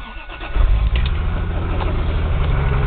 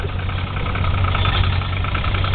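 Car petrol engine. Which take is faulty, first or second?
first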